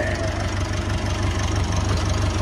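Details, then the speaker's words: Massey Ferguson 290 diesel tractor after bleeding air from the injector lines to fix a no-start: steady, even low diesel chug at idle with no knocks or misses. Normal, healthy idle. "And that's how you solve it when you've got no start and you've got an air leak. You have to bleed your injectors. That's for any diesel engine."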